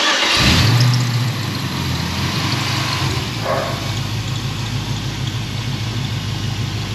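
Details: Junk 5.3 LS engine for a C10 truck that had dropped cylinders, with fuel pressure checked good: the starter cranks briefly, it catches with a rev, then settles into a steady, even idle with no knocks. Normal idle.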